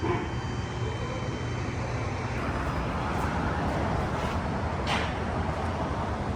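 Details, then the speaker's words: 1965 Plymouth Fury III, 318 Poly V8, exhaust in stock configuration with rubber hangers, no flex pipe; low steady idle burble, even beat, no ticks, rasps or leaks; normal idle, quiet exhaust. "That's perfect. It's nice and quiet."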